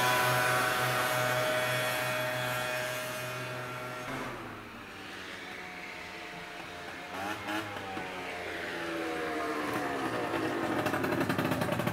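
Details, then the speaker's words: Peugeot Speedfight 50cc two-stroke scooter after a full fix (carb, jets, variator, rollers, exhaust) on a ride test: a crisp, even buzz pulling away, fading, then climbing back cleanly; it reached 40–45 and runs healthy. "um looking pristine like it should have been like it might be that patchy but look at that that is that's good doesn't touch the throttle anymore"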